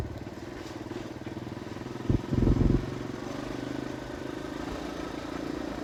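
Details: Kawasaki KLX 150 road test in fifth gear after a new RER 150 carburetor and the CDI socket loose-contact fix: small single thumping evenly with a brief rev, no stumbles or cutting out, where it used to stutter before; normal running.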